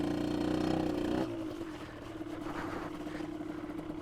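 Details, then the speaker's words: 2003 Aprilia RX 50 two-stroke during jetting, leaner setting, oversized pipe: revs fall and settle into steady idle that doesn't hunt or stall; normal idle. "It's not stalling. So, idle is good."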